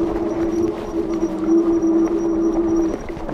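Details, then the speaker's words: OneSport ONES3 electric fat bike with front and rear suspension, climbing off-road: faint thin high squeak keeps recurring over steady hub-motor hum; drivetrain squeak, source unidentified. "c'est chiant, ce petit couinement. Enfin, ça m'embête pour vous d'avoir ce bruit."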